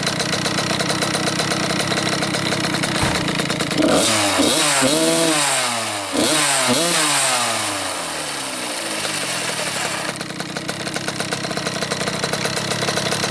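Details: Cobra 50cc two-stroke dirt bike, first start in a couple of days on a humid ~90°F day: steady buzz, blipped up and down a couple of times, then settles back to an even idle; runs good, normal idle.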